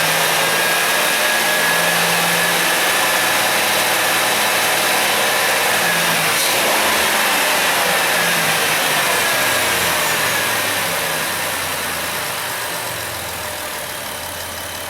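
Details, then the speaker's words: High-mileage 2008 Dodge Grand Caravan 3.8 V6 after engine replacement, warmed up to 195°F with hot hoses: smooth, even idle hum with a soft hiss and no knocks or misses; fuel trims look good. "yeah fuel Tri stuff looks good sitting here at a idol"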